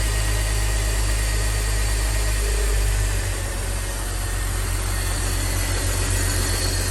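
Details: BMW X3 E83 after replacing the serpentine belt to fix a charging fault that drained the battery: smooth even idle with a steady low hum and no squeal, chirp or tapping; running normally.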